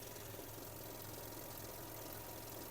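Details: 2005 Audi A3 1.6 MPI (BSE) petrol engine, 75 kW/102 hp, 209,000 km, from the Netherlands, no dashboard errors: steady, even low idle hum with smooth firing and no knocks or misses; it runs quietly with no smoke, no misfire and no breather blow-by.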